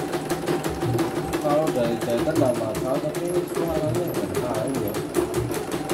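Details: CNY embroidery machine (M21 label) sent in fully jammed with heavy rotation: fast, even needle clatter, steady rhythm, no catching or grinding, running normally.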